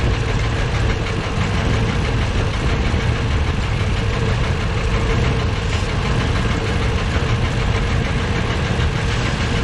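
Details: Deep knocking through a rough low idle, valve cover off. Valves partly dry but none stuck. Owner suspects the cam, or a valve heard through a hose. Blaster tried. Unconfirmed.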